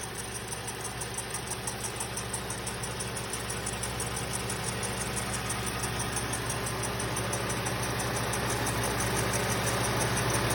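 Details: 2007 Lexus IS250 V6 GDI at idle, noise noticed only after replacing the alternator with a genuine Toyota unit: steady idle with a fast, even tick about three times a second over the hum; source and normality unclear.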